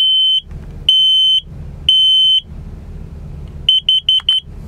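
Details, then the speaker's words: 2004 Chevy Express 3500 Roadtrek Popular 190 combined smoke/CO alarm (Kidde) self-test, buzzer muffled by a finger: three long loud high beeps about a second apart, then four quick ones, a proper test pattern. "I'm gonna keep my finger over the buzzer so it's not too noisy. So we'll verify that it's working."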